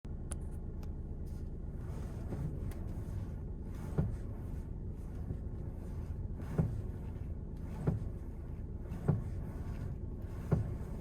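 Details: 2020 VW Tiguan Mk2 with engine running: sharp single pops about every second over a low steady hum; dealership found the power steering not working properly and replaced the power steering unit under warranty.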